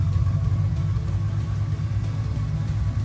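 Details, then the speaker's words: 1973 Triumph TR6 restoration, first start after new Monza exhaust and performance header, choke pulled: deep, even, throaty exhaust rumble at idle with no ticks, misses or rattles; normal smooth idle. "nice nice and smooth it's idling really nicely well done fred"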